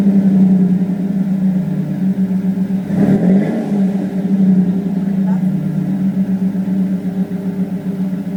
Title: Flowmaster after exhaust leak fix